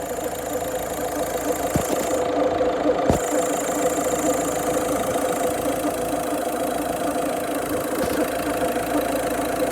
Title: Weird noise, I have stripped it all down now pulleys/tensioner/belt look ok